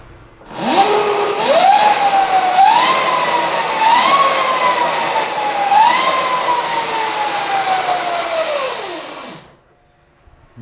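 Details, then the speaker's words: Electric Yamaha Mio conversion on a stand, speed mode one, rear wheel spinning: loud high-pitched whine rising and falling with throttle; owner suspects a dry chain and plans to lubricate it, unconfirmed. "Suaranya tuh mendesing banget. Mungkin karena rantainya kering gitu, Guys. Karena kan ini kan yang kedengaran cuma kondisi rantainya doang."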